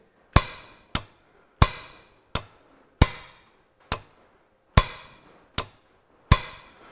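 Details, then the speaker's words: John Deere 1640 MFWD front-wheel-assist clutch-pack solenoid valve, removed and bench-tested with a battery across its two coil terminals after the tractor was stuck in 4WD; nine sharp, crisp clonks as the valve moves, solenoid actuating normally. "so if i put the negative here and the positive there you can just see that move and we can actually hear it moving"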